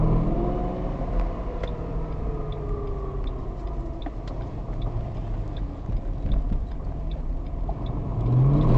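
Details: 2005 Ford Mustang GT accelerating past 2,500 rpm after sitting for a while, noise fading quickly: deep rumble with faint ticking about three times a second and rising whir; owner suspects drivetrain, source unclear; phone recording.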